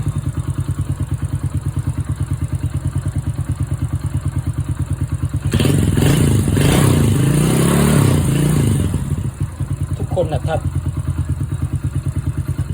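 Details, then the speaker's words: Honda Wave 100/125 motorcycle engine after new cylinder, piston, rings and cam chain, valves set by feel; steady, even quiet idle with a brief throttle blip and no ticking, normal idle with correct valve clearance. "ถ้าตั้งถูกเี่มันจะเงียบเงียบเงียบแล้วก็ถ้าระบบวาล์วดีระบบคาร์บูเรเตอร์ดีเครื่องยนต์ต้องนิ่งครับ"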